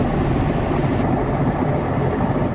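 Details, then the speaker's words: IFB front-load washing machine on full spin: loud, steady, coarse rumble and rattle from worn drum bearings; drum spider appears broken too; bearing and drum to be replaced. "तो दोस्तों, आवाज़ आप सुन रहे हो, इसी आवाज़ को हमें हटाना है। तो इसमें हमें बैरिंग चेंज करना पड़ेगा।"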